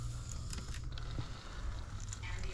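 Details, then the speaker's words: Moldy Digital8/Hi8 camcorder tape being wound on a rewinder: quiet winding rumble with crackles and pops like peeling masking tape as mold-stuck wraps break apart (sticky tape syndrome from moisture or poor storage). "you can hear that mold breaking you can definitely hear it you can hear it it sounds like masking tape"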